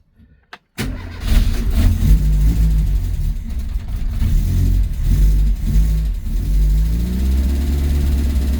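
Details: Renault R8 project car started after resetting the valve clearances, fresh oil and coolant and setting base idle, ahead of mapping; it cranks and catches quickly, revs briefly, then settles into a smooth, even idle from a cold start.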